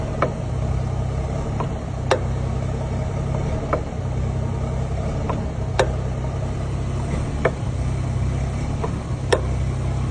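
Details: BMW M140i xDrive with Wavetrac limited-slip differential, driving: steady road drone with sharp single clunks every second or two; owner asks cause, suspected clunking limited-slip rear differential, unconfirmed.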